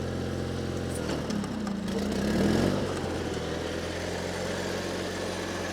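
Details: 1987 John Deere 316 garden tractor, cold start on choke, carburetor jets suspected partly plugged: twin catches, briefly revs up, then settles into an even steady idle with no knocks or misses; runs fine.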